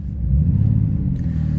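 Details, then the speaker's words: Ford Escape above freezing (about 40°F): rough, uneven low idle with irregular stumbles in the firing beat; misfire that owner attributes to a bad ignition coil acting up again in warmer weather. "and now we're back above freezing and now I got a bad coil issue again"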